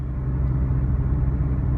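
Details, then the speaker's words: 2009 Hyundai Accent driving on rough uneven road after replacing both sway bar end links that had play: steady low road rumble, no clunking or rattling over bumps; normal suspension, no clunk. "right sway bar links have been replaced hallelujah the clunking rattling noise is gone"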